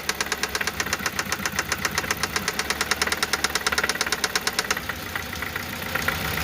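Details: Toyota 1ZZ-FE engine at idle: crisp, even ticking knock about nine a second that drops away for a while; swapping the first ignition coil changed nothing, fourth cylinder suspected; cause unconfirmed.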